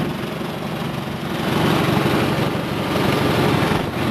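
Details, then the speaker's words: Farmall 140 tractor (1962 or 1974 model, each idling differently) at idle: slow, loose, lumpy putter at low revs with no knocks or squeals; normal idle. "this is idle for this one we'll go ahead and shut it off this is Auto for this one but it'll run a lot slower"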